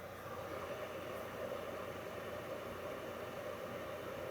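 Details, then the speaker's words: 2006 Toyota Prius Gen 2 after a fuel tank replacement (the failed pump is built into the tank; code P0A0F), ignition on with a power supply connected: steady faint electric hum and even whir for several seconds; fuel pump priming normally. "power on that's a good sign the pump's running I can hear"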